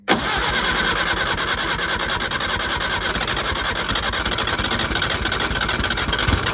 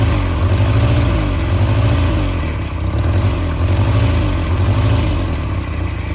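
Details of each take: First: Peugeot 403 pickup: engine catches and settles into an even, slightly rough idle, then a couple of smooth revs; running again. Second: Peugeot 403 pickup engine first started after about 22 years abandoned, throttle butterfly freed: low idle with uneven throb swelling about once a second; rough idle, owner suspects one cylinder not firing well.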